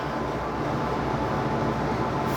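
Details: Italianinha soft-serve ice cream machine, whose motor had hummed but would not start, now repaired: an even, steady hum from the motor and compressor with no groaning. The compressor kicks in and the machine freezes normally.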